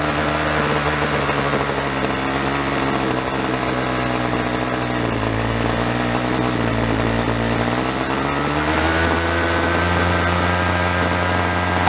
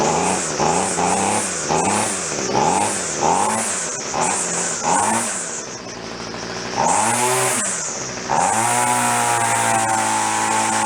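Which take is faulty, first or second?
first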